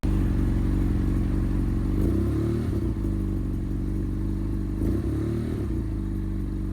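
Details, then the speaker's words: 2015 BMW F800R, unstable and unusually high idle with check engine lights since being washed: the idle surges upward twice and drops back unevenly, revs wandering. The cause is unknown; a temperature sensor or thermostat fault is suspected for the error code. "but there are also other issues with the throttle response that's really weird. I actually post a video of what's the response of the throttle is to show you guys how weird those issues are."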